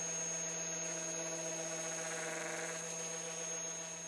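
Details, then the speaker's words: Hueborly 5.0 budget sander on a stiff vacuum hose with a 3D-printed connector: piercing steady high squeal over an even hum; owner suspects the vacuum or hose airflow, adapters haven't cured it; high-pitched squeal. "the camera doesn't even pick it up it's just a such a high-pitched squeal so I'm gonna try some different Inlet hoses main hoses to the vacuum"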